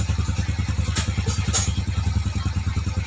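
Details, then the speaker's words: Engine idling after the timing chain and tensioner were replaced and the tensioner bled by running: noisy on first start, then quiet once bled; steady even low thump with no timing chain rattle. "So, unang andar, maingay pa to siya. Tapos, pag na-bleed na siya, yan. Tinan nyo to ha. Tahimik na siya."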